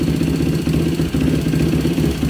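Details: Rebuilt Yamaha YFZ450 quad idling, with the carb needle shimmed richer using two spacers and various jetting tried: lumpy single-cylinder idle with irregular backfire pops; cause unknown, it behaves as if lean.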